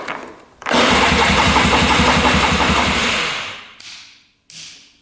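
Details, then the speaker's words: 2002 Polaris Scrambler 400 4x4 ATV: steady fast cranking, about four turns a second, no firing; seller had replaced battery and fixed electric start, unknown whether spark, compression or carburetor at fault. "all right does not fire so this is kind of where the seller left off"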